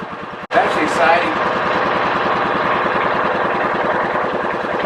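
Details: 2000 John Deere 4X2 Gator, first start after ignition coil replacement, partly reassembled: brief crank, then it catches and settles into an even, regular putter. Clean start and steady idle, not yet warmed up.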